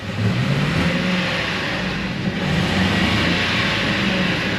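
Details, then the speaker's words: Old Ford F150 4.6 V8, about 198,199 miles, with a knocking engine, misfire and oil bottles in the bed; flat, strained engine drone barely climbing in pitch when throttled, as the engine won't rev properly. Cause not confirmed. "so clearly we have some kind of a engine running [Music] problem it didn't even rev up very well"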